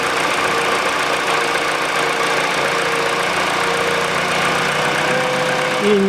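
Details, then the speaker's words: Peugeot 408 2012, 1.6 petrol, automatic, 87,000 km: after replacing the stretched drive belt (DAYCO 6PK900), a steady, even idle hum with no knocking or rattle. The stretched belt had caused the knock and the tensioner roller wobble. "стука чудеса да и только растянутый ремень давал грохот"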